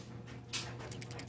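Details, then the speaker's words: Old PCV valve removed from a Scion xD, about 10 years old, shaken by hand; light crisp clicking, a few quick taps per shake, normal for a good valve, replaced anyway. "all right so this is the old one that i took out i hope you can hear the shaking can you hear that that's a good uh pvc valve"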